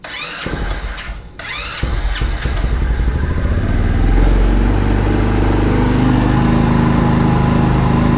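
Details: Vader 125 Grom-clone motorcycle, first start after disassembly, idle screw turned way down, on choke; a few stuttering cranks then catches into steady fast even idle; normal start on choke.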